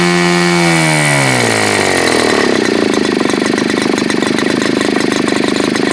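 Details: Super Tigre G4500 glow engine, hand started, first run on a stand: smooth buzz climbs steadily in pitch, then holds an even, clean high-speed note with no stumble or misfire; throttle raised slowly, running well.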